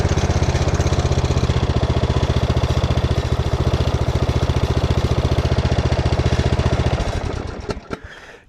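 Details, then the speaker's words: Bad Boy mower under a year old with about 23 hours: loose rattling clatter over a low idle of about four firing pulses a second, dying away at shutdown. It sounds fine at high idle and worse the longer it runs; cause undetermined. "But now, let's bring back to low idle. You'll start to hear it kind of clatter around quite a bit. And it did not used to do that at all."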